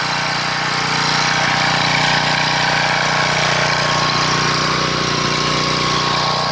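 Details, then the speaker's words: 1997 portable gas generator (3000 max), sat 20 years with old fuel: drones unevenly, surging and sagging, can't govern itself because the carburetor is gummed and in bad shape, voltage only about 115; engine hunting. "you here struggling it can't seem to govern itself because the carburetors in such bad shape"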